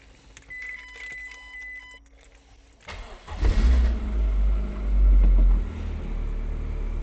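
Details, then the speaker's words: MG TF 115 with Rover K-series 1.6 L petrol engine, before operating temperature, prior to an oil change and engine flush: dash chimes, then it starts and settles into a steady, even idle with no knocks or misses. "But now you can hear the sweet sound of the K series 1.6 L engine. Not the 1.8. 1.6."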